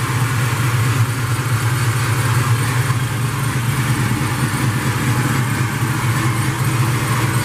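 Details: Ford Mustang 4.6 cold start after fresh spark plugs installed to cure high-rpm spark blowout: loud, steady, deep idle holding an even drone with no stumble or miss. Normal cold idle.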